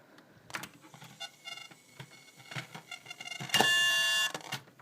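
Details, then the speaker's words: PC headsets (Beats, Turtle Beach) plugged into keyboard and rear audio jacks: scattered crackles and pops, then loud piercing screech; audio static and screeching, cause not yet traced. "I get this loud uh staticky screeching high pitch screeching beeping crackling all this stuff so I can't even hear anything"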